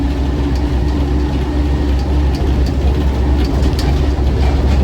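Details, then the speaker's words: 1970/71 Land Rover Series IIA 88in petrol, gearbox rebuilt 2018, driving on the road: faint steady whine over heavy road rumble while coasting off throttle, a mild gearbox howl on overrun. "the gearbox was rebuilt in 2018 but you do have just on on the overrun a bit of a howl from the gearbox fair to say that uh serious land rovers always make lots of transmission noises but that is howling a little bit on the over"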